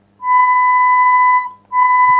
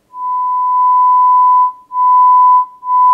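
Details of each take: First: Sanyo DCX 3300KB four-channel amplifier with failed STK hybrid output modules, 1 kHz test tone: rough, buzzy, clearly distorted channel with faint low hum underneath; amplifier also had 50 Hz hum. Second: Sanyo DCX 3300KB 4-channel amplifier, 1 kHz tone into a speaker with dummy load off: steady, pure mid-pitch whistle with no hum, buzz or rasp, broken by two short gaps. This channel sounds good and is working.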